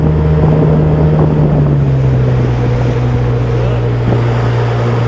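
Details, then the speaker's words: Pontoon boat outboard under way on open-water test: steady low drone, pitch settling then holding even with wind and water noise; motor runs well, though the failed power trim pump won't lift it. "motor sounds like it's running good though i can hear it winding up but it ain't lifting it"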